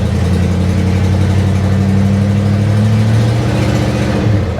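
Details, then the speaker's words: 1976 Chevy or 1964 Chrysler after capping taped-over vacuum ports (suspected vacuum leak): low, steady hum with a smooth unbroken beat, no hiss or hunting; idling evenly, running better. "So, I actually put some plugs on it, and I think we had a vacuum leak. So, it's it's running better."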